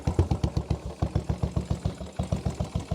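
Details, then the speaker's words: Royal Enfield single-cylinder motorcycle, former non-runner with no spark, now reassembled after fault finding: starts on the button and idles with even exhaust thumps, about eight per second, no misses. Normal idle. "there it is finally running under its own steam firing up on the button and all completely back together"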